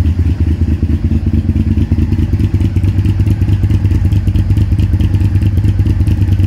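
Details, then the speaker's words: Honda VTR V-twin motorcycle with 41,000 miles, started up and idling: deep, even V-twin throb with a steady lumpy beat, no rattles or knocks; runs nicely, normal running. "It's got 41,000 miles on the clock, which, okay, considering the age, it's not a lot, but it runs nice."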